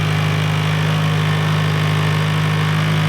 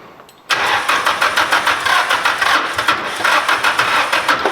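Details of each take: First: SR20-swapped Mazda MX-5 / Miata NC at the dyno after fitting a new sensor and setting ECU ignition timing to 0 at 0 on the crank pulley: steady, even idle with a firm low hum, no misses or knocks; normal idle. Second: SR20-swapped Mazda MX-5 / Miata NC on first startup at the dyno: engine catches after a short crank and runs rough and uneven, stumbling with no smooth idle; crew suspects timing is off or it's misfiring.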